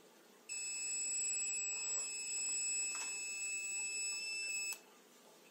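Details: Open Radiation Detector firmware version 0.9 fails to turn off its buzzer, giving a shrill, steady high-pitched tone for about four seconds without pulsing; the buzzer is stuck on, fixed in version 1.0.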